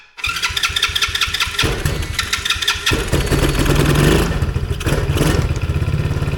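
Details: Tao Tao Chinese quad small single-cylinder engine, after diagnosing and fixing a no-start: catches and settles into a steady, even putter with a few light blips; running normally.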